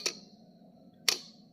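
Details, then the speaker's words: Box-type voltage relay on a bench test with supply to pins 2 and 5: two crisp clicks about a second apart as the plunger pulls in under the magnetic field and drops out. Normal relay click. "यह जो आवाज आ रही है यह प्लजर की आवाज है क्योंकि इसके अंदर मैग्नेटिक फील्ड डेवलप हो रही है"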